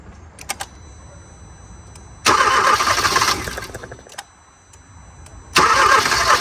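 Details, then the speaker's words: 2014 Hyundai Accent previously with a seized engine: two bursts of steady starter cranking, one to three seconds each, with the engine turning freely but not starting; the fuel pump relay checked good and the main relay seems good. "all right guys so there you heard it for yourself it's turning so um I checked the fuel pump relay it's good"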